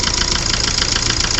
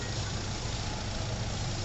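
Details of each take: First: 2009 Hyundai i20 diesel with late starting: sharp, evenly spaced heavy knocks over the idle, louder right at start and slightly quieter once running. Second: 2009 Hyundai i20 diesel after full engine overhaul, timing set and diesel filter changed, following a knocking engine noise and late starting: smooth, even idle with a steady low drone and no knocks or ticks; engine sounds healthy after the road trial.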